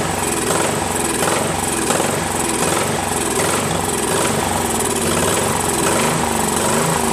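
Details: Craftsman 13.5HP mid-engine riding mower replacement engine after fitting new flywheel key: hunts up and down about every second with uneven pops, still surging and backfiring; governor reset gave no change, owner suspects carburetor.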